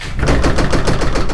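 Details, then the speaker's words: Dodge Dakota R/T pickup driving over bumps: rapid metallic clatter over road rumble from a loose tailgate on worn latches and hinge bushings, before replacing both latches and the other tailgate bushing. "whenever i hit any bumps that is the type of noise i hear and i am done with that"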